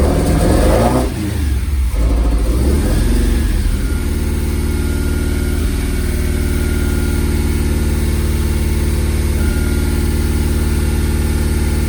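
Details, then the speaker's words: Ford prototype Corsair GT, fuel-injected Essex V4, first start in 1.5 years in freezing cold: after a rough crank it settles into a low, slightly uneven idle with occasional stumbles, a mild misfire while stone cold. "got a little bit of a mire it is freezing cold I"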